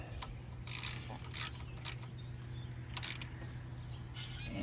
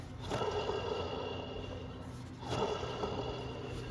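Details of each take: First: 1999 Chevy Silverado 1500 4.8 V8, pulley spun by hand during water pump and pulley job: quiet, even whir with no grinding, rumble or roughness; pulley bearing sounds good. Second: Water pump from a 1999 Chevy Silverado 1500 4.8, removed and spun by hand. Each spin gives a dry, gritty rasp that fades as it slows: a worn bearing, whereas a good pump should be silent.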